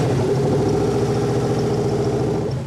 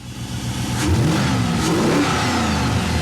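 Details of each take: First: '98 Chevy Blazer 4x4 with swapped used LS1 engine, first start: fires and holds a lumpy idle about three seconds, then sags and dies; anti-theft lockout, PCM not yet programmed. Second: '98 Chevy Blazer 4x4 with swapped used LS1 engine, after VCM programming and VATS relink: catches quickly, clean rev and settles, pulling smoothly with no misfire or knock before shutdown.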